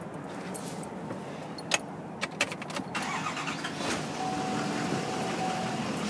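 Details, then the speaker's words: 2011 Chevrolet Silverado 2500 Duramax diesel 4x4, 37K miles, salvage title: brief clicks, then clean catch and steady even idle, no rough running; normal engine start, transmission shifts fine. "anyway so no issues as I said other than the obvious you know it runs good transmission shifts fine"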